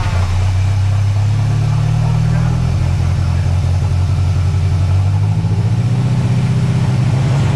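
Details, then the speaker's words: Mercruiser 140 boat engine swapped into an S10 with GM ECU tune, not staying in closed loop: pedal held still at about 15, note climbs, dips, climbs again; rpm surging as spark advance jumps to about 35 degrees. "I didn't have, after it revved up, my foot was off. It's all spark."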